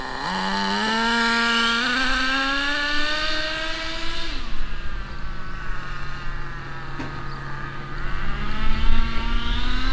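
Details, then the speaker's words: HSP nitro RC rally car after a carburetor fix, before adjusting the 2-speed gearbox: engine note climbs to a high scream and drops with no upshift pitch step; the transmission stays in first and is not shifting. "i do not hear it shifting at all it's not shifting all right well it didn't shift"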